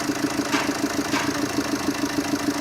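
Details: Tata Zest diesel, 154,320 km, cold at idle after timing chain and lower engine work: sharp, even knock about nine a second, quieter with an injector wire unplugged, late starting; deep bottom-end knock suspected crank-related.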